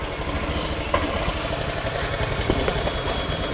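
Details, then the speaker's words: Honda Beat scooter that still misfired after rotak replacement, started with fuel pressure around 40; steady, light idle with faint even clatter, no stumbling or misfire; normal idle. "oke sekarang saya coba start di sini tekanannya itu kalau biasanya di 40-an masih bisa lah ya start apa pakai switch kiri ya oh ya sulit Ini motor udah langsung normal"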